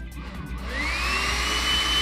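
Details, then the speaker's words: Rotary hot-air brush after replacing its broken fan blade and cleaning where it was binding: motor spins up to a smooth, steady whir with no rattle, running perfectly compared with the noisy run before. "tá rodando perfeito, galera. Vocês viram como tava, né? Vocês viram como tava antes. Agora, deu muita diferença, galera."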